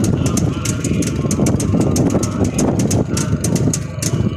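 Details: Freshly rebuilt Jawa 350 single-cylinder two-stroke, original sound: crisp, even putter with steady pop rhythm and no knocks or rattles; clean normal idle.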